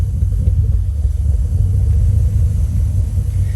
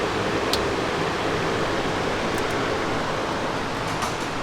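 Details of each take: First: Toyota 3UZ V8 swapped into Nissan 240SX, first start, no intake yet, idle set low: uneven lumpy idle with recurring low thump, as if running on fewer cylinders; cause suspected, not confirmed: rough idle with thump. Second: Toyota 3UZ V8 swapped into a Nissan 240SX, first start after uploading a new ECU tune with changed trigger settings: background noise, then it suddenly catches and runs loudly at a raised idle, needing about 15% throttle via unset drive-by-wire.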